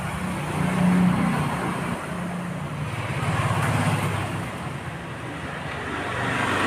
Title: Honda Dio misfiring